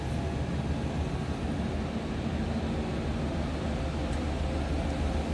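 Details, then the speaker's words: 1994 Chevrolet Silverado 1500 extended cab 4x4, 5.7 L 350 V8, just after a cold start with oil pressure up; deep, even rumble with a steady loping beat and no ticks or knocks; normal idle. "Sounds like a stock 1994 Silverado half-ton to me. Good sounding truck."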